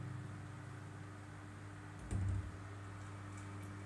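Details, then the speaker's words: 1996 Blue Ice 12-inch oscillating desk fan: quiet steady motor hum with a faint buzzy rattle; grille vibrating because a screw is missing, stops when grille is held. "Here's high now. Vibrating noise coming from it as well. I think, yeah, it's the grill because it's missing the screw."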